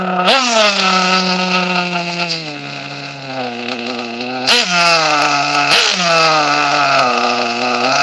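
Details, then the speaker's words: Nitro RC car on a Savage three-shoe clutch that engages too soon, run during tuning: a buzzy little engine sags and wavers in pitch, stumbling and bogging between blips. Running too rich, with too much fuel; it lags and shuts off. "It's too lane. I mean too lane. Too rich. All right. Since it's too ri rich, I should have gave you a little example what it's like when it's too rich."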